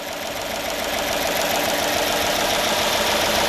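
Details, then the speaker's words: Freshly refreshed Hemi V8 in a Dodge Magnum, first start with oils burning off the exhaust: fast, even rattly lifter ticking over the idle before oil pressure builds; the lifters should quiet as they pump up. "definitely those litter lifters are very very rattly right now we're gonna have to give them a little while"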